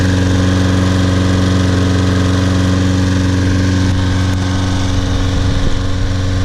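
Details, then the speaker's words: Trash-picked Toro Personal Pace Recycler self-propelled mower after carburetor cleaning, tank flush (old dried gas, some water), brittle rubber seat replaced and new air filter; steady even drone at constant speed, no misses or surging; runs great. "Wow runs great very nice mower bought it back to life"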